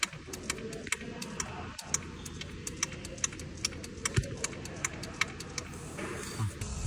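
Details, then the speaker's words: Audi EA888 engine switched off after driving: sharp regular ticking like a steel ball, over the auxiliary coolant pump hum, from the turbo coolant hose check-ball valve, stops within minutes; improved hose reduces it. "下来听一下声音，听声音像是一个钢球在碰撞的声音，响几分钟之后声音就会消失。"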